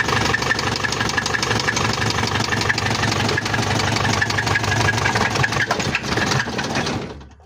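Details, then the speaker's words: Isuzu Panther 2.5 diesel after overhaul, first start after jump-starting weak battery: uneven clatter with scraping crackling knocks for about seven seconds, then dies on its own; mechanic suspects scored pistons or oil not rising, unconfirmed. "ini ada kendala baret di pistonnya atau olinya enggak naik jadi mati sendiri"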